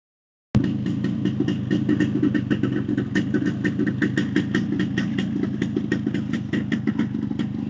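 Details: Yamaha RX135 two-stroke after block refit with ports matched using packing and tight piston checked, idling: quick even putter with light exhaust rasp, no knock or rattle; engine noise cut about 90%, remaining sound attributed to aftermarket silencer.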